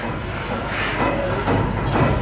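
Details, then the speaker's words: 1914 Snow gas compression engine, double-acting compressor end with poppet valves turned out, running unloaded: even repeating chuffs of air pumping with no pressure, no strain or knocking; healthy. "They've opened the valve down there so you can hear it pumping, but it's not really pumping any pressure."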